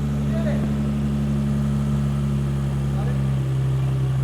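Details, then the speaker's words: Nissan 350Z VQ35DE after replacing both belts and idler pulley and deleting the idler with OEM spacer and shorter belt: smooth steady idle with no chirp or squeal; belt squeak fixed. "let's get everything back together and fired up and hopefully it doesn't squeak anymore"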